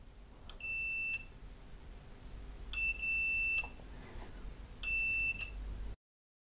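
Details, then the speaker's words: Nivona 690 coffee machine, new microswitch (606454) installed, continuity tester on it: three clean half-second beeps, one at each click, with quiet between; the switch is closing properly each time. "И сейчас на установленном датчике я прозвоню, как он должен работать. В момент щелчка у вас должен прозвучать звуковой"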